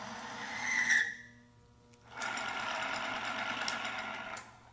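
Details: Timken bearing friction test on fresh bearing run with a competitor OEM power steering fluid: steady high-pitched squeal under load cuts off, returns as harsh screech and metal rubbing as film breaks down, smoking, producing metal shavings; boundary lubrication failure.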